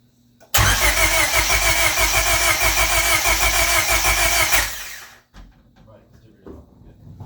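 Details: Turbo Honda Civic with an eBay turbo, first start after the build, fuel pressure at 60 psi and no leaks: the starter catches and the engine fires straight into a loud, fast, even idle for about four seconds before shutting off; healthy start.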